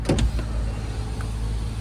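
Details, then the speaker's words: 1998 Ford Mustang convertible after sitting 10 years and a new fuel pump: couple of clicks then low steady window motor hum under idling engine, smooth without grinding; all windows going down normally. "All right, they're all going down."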